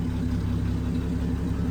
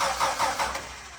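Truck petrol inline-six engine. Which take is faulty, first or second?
second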